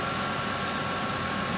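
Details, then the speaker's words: 2005 Ford F150 4.6L V8 after alternator replacement, lights on: a steady, even idle hum with a faint constant whine, no knocks. Charging reads 14.2 V, so the alternator works normally. "as you can hear now the engines on I've got the light beat the lights on and it's working"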